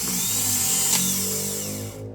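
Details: Car starter motor run through a newly installed starter relay, with key-start current to terminal 86: a steady high electric whirr with a faint low hum runs evenly for two seconds and cuts off cleanly. Normal starter cranking.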